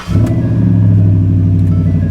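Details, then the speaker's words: Ford Raptor with about 240,000 miles, not started in a long time, cold start: catches instantly and settles into a deep, steady burble with no knocks or misses; normal cold start and idle. "that just sounds good that's that sounds so good the truck smells good it runs great"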